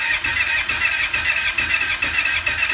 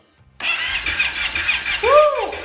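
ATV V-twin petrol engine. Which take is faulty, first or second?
first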